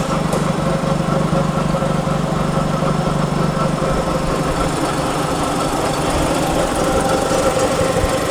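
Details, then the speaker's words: FC car idling with a little throttle, heard from underneath: gritty, rhythmic clang-clang rumble from worn front gears in the five-speed manual gearbox. Transmission oil is full and correctly serviced, so the gearbox is to be dropped. "so that's the noise that he's talking about that clang-clang are you hear it you hear it so it looks like this trend is definitely not to come down"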